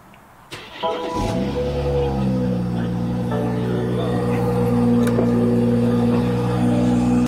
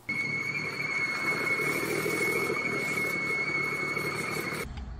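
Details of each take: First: BMW 340i B58, after replacing PCV diaphragm that caused smoking and whistling at idle: engine cranks, catches and settles into a steady even idle with music over it; runs clean and smooth. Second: Idling engine with a failed PCV valve diaphragm: steady high-pitched whistle or hoot; fix is a new PCV diaphragm.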